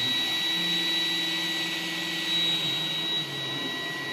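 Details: iRobot Roomba 980, noise new this week, mainly when turning, persisting after parts cleaned. High steady whine over vacuum hiss with a lower wavering drone; cause unknown. Abnormal noise when turning.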